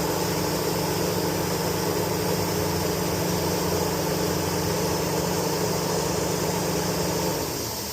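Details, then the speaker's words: Chevy Tahoe with code P0128 and erratic coolant temperature sensor reading: loud steady cooling fan roar with engine off for about seven seconds, then winds down and stops during the repair. "The fan is still running. So, I get to finish the job with the fan still running."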